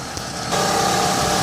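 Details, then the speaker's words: 2007 Chevrolet Uplander wheelchair van, 3.9 V6, 102k miles, heard under the hood; steady even hum with a smooth settled idle, no ticks, knocks, leaks or smoke: normal idle. "idle smoothly no signs of any leaks no signs of any smoking anything unusual it all sounds good it looks good"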